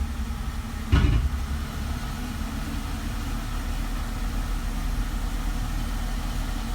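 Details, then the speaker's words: Mercedes SLK 320 flood car, idling in park after the 722.6 transmission valve body was reinstalled and the filter replaced: one dull clunk, then a smooth low idle with no transmission pump whine. "But just been letting it sit here and park, idling, and I don't hear any whine. Let it kind of idle up a little the transmission pump is not whining."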